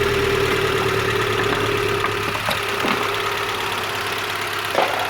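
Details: 2008 Renault Clio after repairing a corroded wiring harness that caused a no-start with immobiliser fault, no fuel and no spark: engine starts and settles into a steady, even idle with no misses, knocks or surging; runs properly.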